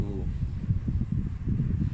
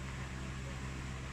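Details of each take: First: Standard orbit fan number 10 after replacing its capacitor with a new one: fast, even rush of air with choppy buffeting at the mic, spinning up briskly and running steadily with no rubbing or ticking; normal fan run. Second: Standard orbit fan (school unit), after cleaning and oiling the bushing with oil foam, running on its old capacitor for comparison: steady low motor hum, soft air whoosh, blades turning lazily slow; weak fan capacitor.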